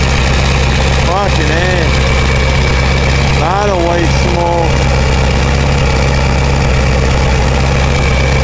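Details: 2000 Ford 7.3 Powerstroke diesel cold start in 7°F Wisconsin weather (about 10 above said): even, steady low rumble with no lope or misses, white smoke; normal cold diesel idle.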